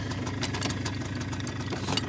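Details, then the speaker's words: 2001 Polaris Xplorer 250 4x4 two-stroke quad, just revived with starting fluid: even, quick putter at idle with steady beat, no stumbling or hunting; normal idle. "can't believe that that thing sounds great"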